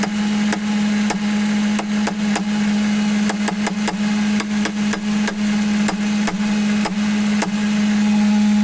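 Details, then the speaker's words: Ford Mustang 4.6 V8, around 2000–2002 model year, idling: a steady low trumpet-like droning hum from the air filter intake duct that changes when the duct is tapped; source unconfirmed, and the valve is to be removed and checked for dirt. "hoy oiga y como un zumbido de trompeta o de cuerno de no sé de rinoceronte no sé pero soy medio raro"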